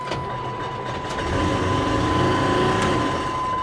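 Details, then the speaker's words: Salvage vehicle with front-end damage and 99,000 miles, idling: steady rattly ticking about four a second over the engine; cooling fan blades striking the pushed-back radiator. "But yeah, like I said, the fan sounds like it's into the radiator."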